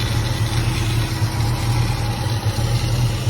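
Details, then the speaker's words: Chevrolet Caprice project with a replacement loud electric fuel pump: low, even idle with a steady beat and no misses, knocks or ticks; motor runs like a sewing machine, normal idle. "haven't done a whole lot motor run like a sewing machine though"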